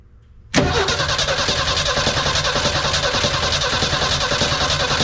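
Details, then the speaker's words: 1983 Ford F150 with the 300 inline-six, Carter YFA one-barrel carb just fixed and cleaned, battery fresh off the charger, fuel bowl initially empty: cranks and catches quickly, settling into a steady, even fast idle on choke with no misses or knocks. Normal cold start. "oh that's a perfect fast idle speed there we go"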